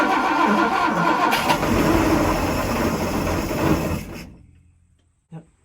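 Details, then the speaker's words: 1967 Chris Craft Roamer yacht with Ford 427 V8s that had sat about 11 years, running on gas poured into the carburetor with the choke held: catches and runs roughly about four seconds, then dies when the fuel runs out. "It must eat a lot of fuel. I think it went through everything we put in."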